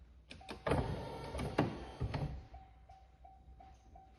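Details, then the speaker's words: 1996 Corvette C4 headlight motors after in-car rebuild, cycling the headlights: brief smooth motor whir ending in a soft clunk, no ticking or grinding; motor runs quietly after rebuild. "So I'm going to go ahead and get it put back in the car, and we'll cycle the lights and see how quiet they are."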